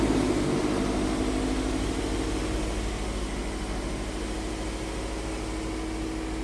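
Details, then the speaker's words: Toyota MR2 petrol engine after replacing the right-hand (passenger) engine mount, left mount not yet changed: normal smooth, even idle with a low steady hum, no knocking, rattling or shaking, much quieter than before. "All right, look at this. Not no vibrations. So quiet compared to what it was before."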